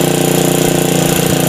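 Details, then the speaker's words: Honda Supra single-cylinder motorcycle with new aftermarket carburetor, owner complaining of frequent spark plug failure: at idle, closing the air screw makes rpm rise and scream instead of dying, high fast even firing, a sign of a leaking valve. "Nah, kalau kasus di sini ketika kita putar kita makin tutup RPM-nya makin naik makin teriak. Nah, inilah contoh, salah satu contoh klep bocor."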